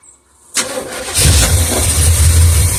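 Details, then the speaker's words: 1976 Oldsmobile 455 big block with 400 Turbo in an 1984 Blazer/Suburban, sat 155 days; cranks with low uneven churn but won't run, aftermarket electric fuel pump hums yet no fuel reaches filter; no-start, fuel delivery failure. "I think what we're going to do is hook up the factory fuel pump in the tank and see if it still works but we're not getting any fuel in the fuel filter and that's not good"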